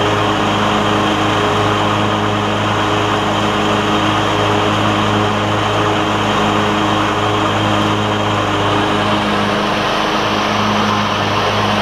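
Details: Troy-Bilt Bronco lawn tractor on concrete after new drive and deck belts and deck repairs, with the OEM MTD belt; steady engine drone and constant deck hum with no squeal, grinding or flapping. Running healthy, the deck about half as loud as before.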